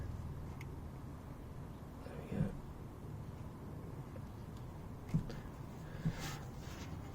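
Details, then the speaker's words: 2004 Honda Accord CL7/CL9, raised with the wheel off, hub rocked up and down by hand: three dull, hollow clunks from a worn lower ball joint with free play, needing replacement ASAP. "this one it's got a bit of free play and you can hear it clunk in there"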